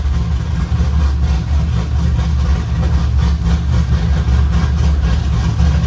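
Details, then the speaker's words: LS V8-swapped Nissan 350Z during fuel tuning, after fuel was added: deep, steady idle with a slightly uneven lope and no knocks; still running lean, idle screw all the way off, air leak suspected. "There we go, that sounds better. So you just changed it to... Added in some fuel. Okay. It's still lean though."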